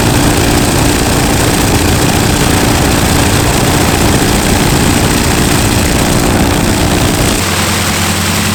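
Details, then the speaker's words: T-6 WWII trainer radial engine, last started three weeks earlier and harder to crank than the other one, fires up and runs with a deep, rough, loping beat; no knocks or grinding, firing on all cylinders. Normal running. "It runs. It runs. It fired up. It was a little more adventurous to crank up than the other one."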